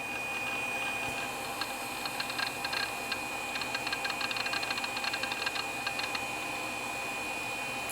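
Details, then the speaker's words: 1995 Apple Macintosh PowerBook 5300cs rotating hard drive: quick dry ticking and chattering seek bursts over a steady high spin whine, normal seek and read activity on an aged machine whose owner suspects logic board corrosion. "speaking of the hard drive this is music to my ears"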